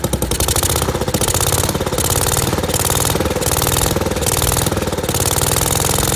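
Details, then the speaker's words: 1963 Wheel Horse 753 garden tractor single-cylinder engine, first start after sitting, with the carburetor, ignition coil, air filter and spark plug replaced: a fast, even bark with crisp firing and no misses, running properly with the points sparking correctly. "and it runs all right now I know the doesn't work so I'm going to have to get that replaced but the thing is running if you see the points the points are sparking or good when they should"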